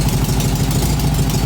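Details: 1966-67 VW Beetle 1500 first start after long storage, idling indoors: a loud, rough, chuffing idle with a steady low pulse, extra loud from holes in the exhaust. It also needs a fan belt and won't rev. Exhaust leak.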